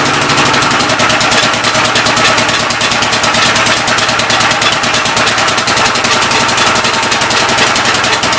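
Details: Old engine's first start attempt on a temporary coil ignition: fast, steady chuffing with a sharp ticking edge on every stroke. It runs but sounds off; the intake valve seems to be leaking but is not hanging open, and the owner plans to pull the head and lap the valves.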